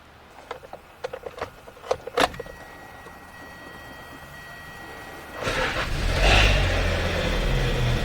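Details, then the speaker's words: 2015 Hyundai Sonata 2.4 L with transmission stuck in park and many dash warning lights on: a few clicks and a chime, then the engine catches and settles into a steady, even idle with no knocks or misses. "so as you can hear the engine is running and there are a couple lights on on the dash"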